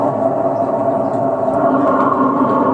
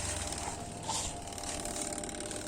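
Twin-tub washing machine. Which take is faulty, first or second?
first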